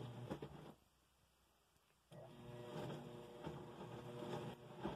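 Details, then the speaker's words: Laundry Alternative Niagara belt-driven washing machine starting a wash cycle: a brief momentum rattle at start, then soft, even, quiet churning with no knocks or grinding; normal operation. "as you can hear an initial rattle from the momentum but after that nice and quiet you can hear it churning that's about it"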